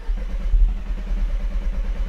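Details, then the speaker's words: Audi TT Mk1 on a booster with a tired battery: brisk even cranking around ten pulses a second, no firing, because the fuel pump was deliberately unplugged; cranking faster than in earlier tests. "pourquoi ça démarre pas et pourquoi enfin pour que ça démarre pas en partie et pourquoi y aloyan d'essence c'est parce que j'ai débranché la pompe à essence"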